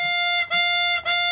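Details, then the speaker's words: Chromatic 64 harmonica after windsaver flutter repair, windsaver stiffened by lengthening its top part for more tension: three clean, steady draw notes, even from start to finish with no flutter or buzz; windsaver now sealing properly, flutter fixed. "it sort of fixed it. So that's it. That's a very common problem that people have with chromatics and that noise."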